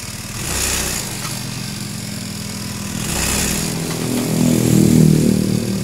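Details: Honda Beat scooter (carbureted or injected) that judders and jerks when pulling away: small engine buzzes with uneven surge about four times a second; suspected worn/hard clutch shoes, worn clutch housing, loose clutch spring or loose rear pulley nut.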